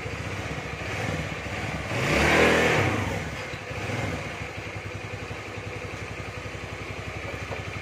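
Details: Carbureted Honda Beat scooter after CVT repair for no power and slipping: quick throttle blip rises cleanly and settles back to steady idle with no slipping drone; power restored, no more slip.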